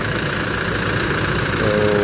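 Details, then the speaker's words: Toyota Hilux diesel after no-crank no-start fixed by restoring a ground lost during repainting: even, steady diesel clatter at idle with no misses or knocks; running normally. "So so ito ay umaandar na ngayon."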